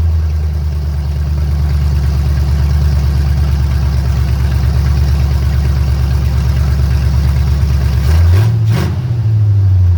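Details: Engine in the first shop project after a timing adjustment, had seemed to miss, vacuum advance hose disconnected: low, fairly steady idle rumble with a quick rev blip; now runs smoothly and responds cleanly.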